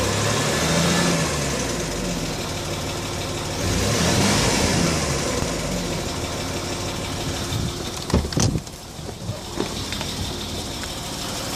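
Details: Land Rover Discovery 3 2.7 TDV6 diesel at operating temperature: a light ticking over the engine note, heard only when warm and louder when slowing between 1500 and 1000 rpm; cause unclear.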